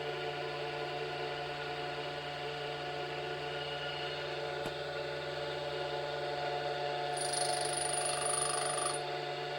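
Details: Tool grinder on a four-flute end mill, secondary clearance at 20°, Norton CBN wheel used for first time, about a thou per pass: steady motor hum, soft hissy shush as the wheel meets the steel, no harsh grinding; cutting cleanly.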